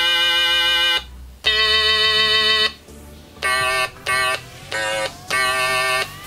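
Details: Stylophone pocket synthesizer sold on eBay as not working (battery corrosion), after soldering in battery contacts: buzzy, reedy notes play a simple tune cleanly, each note starting and stopping crisply with no dropouts; works normally.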